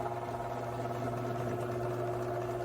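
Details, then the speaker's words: Garage door opener run right after lubricating it, in a before/after comparison. Quiet, steady motor hum with no grinding or squeal as the door travels, much quieter than before: normal running. "I'm gonna lube this garage door opener, but I'm gonna run it up so you can hear it. Oh, instantly. Oh my gosh, that's so much quieter. Wow."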